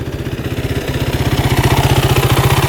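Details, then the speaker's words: 2008 Kawasaki KFX450 fuel-injected quad, hot after hard full-throttle riding: even single-cylinder thump at steady idle, firm regular pulses, no knock or miss, restarts instantly; normal warm idle. "I was going Full Throttle with it did not skip a beat so this one is good to go"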